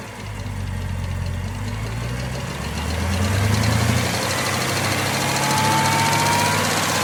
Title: ZL1 Ticking Noise